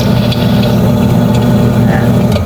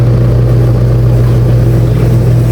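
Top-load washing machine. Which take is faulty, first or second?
first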